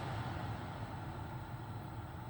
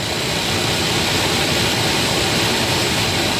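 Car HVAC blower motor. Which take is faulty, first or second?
second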